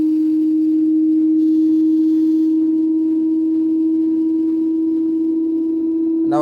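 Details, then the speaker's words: Daewoo direct-drive inverter washer-dryer (9 kg wash, 7 kg dry), high spin: loud steady siren-like tone at one pitch; not bearings, faulty stator hall sensor, fixed by replacing it. "now still remaining four minutes is still as same as making loud noise friends I have to check casually straighter and hold sensor [Music] this is very loud noise"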